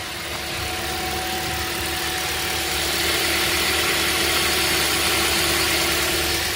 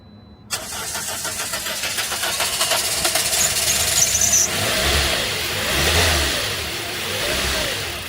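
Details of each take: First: 2010 Toyota Corolla, 213,000 miles, just repaired after several parts trips: even, steady idle with fan hiss, no misses or knocks, though it occasionally dies right after starting. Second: 2010 Toyota Corolla: starter cranks about four seconds before the engine catches and runs unevenly; every couple of months it fires and dies and needs cranking with some gas, cause unconfirmed.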